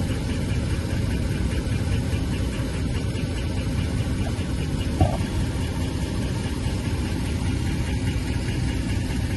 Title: 5.7 HEMI - Ticking sound in the engine part 2